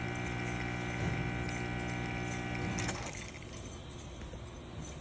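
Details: Rocket Appartamento espresso machine during a test shot after a full service, pressure hovering around 1–1.1: a steady, even buzzing pump hum for about three seconds, then a clean cut-off, showing normal, consistent pump operation.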